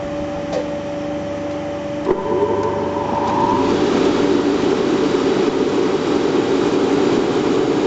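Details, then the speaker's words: Riello RS38 forced-air gas burner start-up: faint hum, then a sharp click as the fan spools into an even roar during pre-purge before first-stage ignition with arc and gas solenoid valve. Normal start-up. "donc t préventilation là il se met en allure de démarrage der la première hure là il aend l'arc électrique mise à feu l'lectrovan est bien allumé ça marche nickel"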